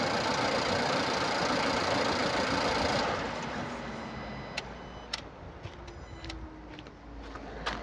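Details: 2016 Nissan Pulsar C13, 1.2 L HRA2DDT petrol, 85 kW, 97,716 km: a rough, uneven engine sound for three seconds, then dropping to scattered ticks, caused by a burnt exhaust valve.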